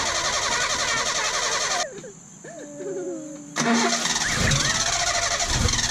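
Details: 1972 Datsun 1200 coupe started after long sitting: cranks and catches after a pause, then runs with a wavering squeal over the engine from a very loose fan belt slipping, later tightened; a petrified fuel hose was also leaking.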